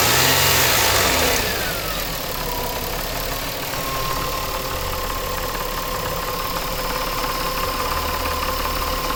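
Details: 2000 Nissan Maxima, 203,000 miles, warmed up at idle; fast, regular knock with a gritty grind; owner suspects timing chain or a bad pulley, having ruled out the A/C compressor and alternator.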